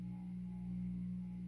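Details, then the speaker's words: 52-inch Supreme Fan Mark III (Emperor) ceiling fan from an abandoned house; steady loud low hum with a held tone and no rhythm on low speed; variable speed control has a bad section, owner suspects it may cause the noise. "I guess the only downfall is that it's very, very noisy on low speed."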